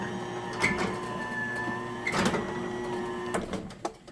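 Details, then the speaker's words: Genie 1035 (model 1035-V E2) chain-drive garage door opener on a 4x3'6" Midland door in a basement: quiet even motor hum, light chain rattle, then a harsh abrupt stop as it doesn't slow down; otherwise normal operation. "kind of a harsh stop since it doesn't slow down but this is the quietest opener by far that i've had up here"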